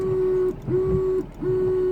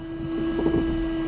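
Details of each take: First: 2001 Ford Fiesta Mk5 with a second-hand scrapyard washer pump just fitted and reservoir possibly empty after draining: steady mid-pitched electric whir in short bursts with no sloshing; pump spins but nothing sprays. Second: 2001 Ford Fiesta Mk5 with a new replacement washer pump, after topping up the empty reservoir: steady, even electric whine for about a second and a half that cuts off cleanly; pump now spraying normally, fault fixed.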